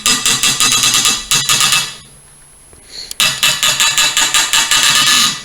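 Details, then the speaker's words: Outboard motor broken bolt being slowly turned out with a screw extractor after penetrating fluid and torch heating: rhythmic high creaking bursts, about three a second, with a thin squeal, heavy friction of the bolt binding in its threads. "I'm just gonna take my time, and you can hear that. And that's like heavy friction on that bolt."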